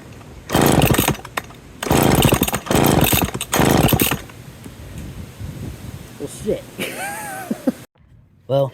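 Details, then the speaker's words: McCulloch 10-10 Automatic two-stroke chainsaw, first run, recoil broken. It roars in bursts, stumbling between revs and never settling to a steady idle. It runs but won't idle; the cause is not yet found. "it does run and it will run but I need to fix the recoil I need to figure out why it won't idle"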